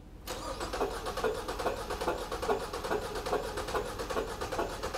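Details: 2014 Ford Fusion cranking with one spark plug pulled, amp probe on the negative battery cable, firing order 1-3-4-2. Lopsided chug with a heavier beat about every 0.4 s, as one cylinder lacks compression.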